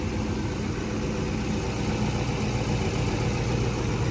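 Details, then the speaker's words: LS-swapped BMW E30 M3 after exhaust completion: steady mid-pitched idle hum with even pulse and no misfire; some spilled oil burning off, and an earlier possible transmission noise now quieter; engine running properly. "Very nice. We got some oil burning off, but other than that, this thing is running perfectly, man."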